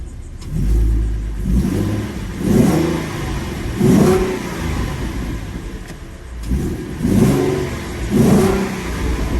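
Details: 2015 Mustang V6 with newly installed BBK stainless shorty headers, aftermarket intake, stock cats, X-pipe and mufflers, first start after install: repeated smooth throttle blips, pitch rising and falling cleanly, no rattles, ticks or exhaust leak puffing; normal revving.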